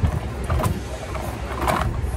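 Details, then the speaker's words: Toro Recycler 22 rear-drive self-propelled mower, 11 years old, with a wobbly, worn rear wheel: a rough, uneven crunching while in drive as the wheel turns, worse when turning right. Worn drive wheel and gear teeth grinding; fixed by replacing the drive wheels. "hear that crunchy sound that crunchy sound happens when it's in drive it's self-propelled this is a rear drive mower"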